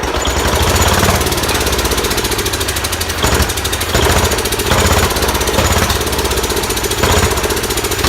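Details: Large Kohler K331 single-cylinder engine on its second start, muffler just fitted, running on sprayed carb cleaner: a strong, fast, hard-hitting beat with occasional sharp pops as it backfires out the carburetor, but it runs well.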